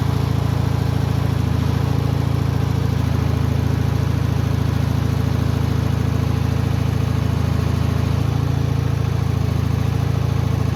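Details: Bolens HT20 garden tractor, small single-cylinder engine idling with an even, steady low thump, about three pulses a second, no misses or knocks; runs healthy.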